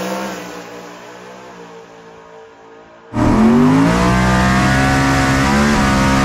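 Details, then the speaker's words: Drag car on a hot track after a looser converter stator was fitted: hard launch into a loud, wavering, rough engine roar under load. Driver suspects the tire is starting to lift and shake. Not confirmed. "Something is getting past where it's happy and it's starting to try to pick the tire up is what that noise is. Hopefully y'all can hear it in the video. It's definitely not how it used to be."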